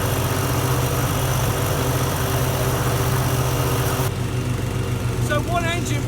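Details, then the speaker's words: Twin-blade petrol walk-behind garden mower (Toro/Hayter test) cutting grass under load, with the same engine as the single-blade model; steady small-engine drone that holds speed and doesn't bog down at any point. "two blades same engine doesn't seem to bog down at any point"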